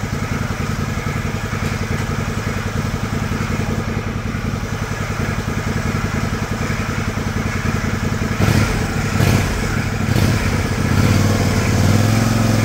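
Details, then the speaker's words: John Deere LX178 mower after carburetor replacement (previously very rich, leaking gas), idle speed screw adjusted down to stop: steady even low putter, three or four beats a second, no misses or surges; very smooth, quiet idle. "is that the smoothest quietest running Small Engine you've ever heard in your life"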